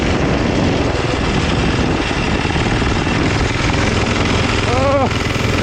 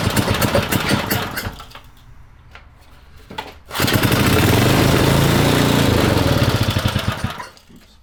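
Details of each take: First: Vintage four-horsepower Briggs & Stratton on a 1970s mini chopper at wide-open throttle: loud coarse harsh shaking drone, no steady note, heavy vibration; runs rough, cause unclear. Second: Vintage Briggs & Stratton generator engine for a 1970s mini chopper, bench-run before frame install to break in the crankshaft: sharp single-cylinder popping in bursts, revving up and dropping back between pauses, firing steadily with no knock; sounds healthy.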